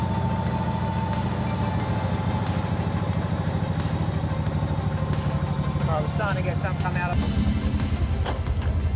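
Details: Nissan Skyline R31, sat for years, running after fuel system repair: rhythmic, slightly loping idle that picks up briefly near the end; runs steadily, lumpiness possibly from tune or cam. Normal running.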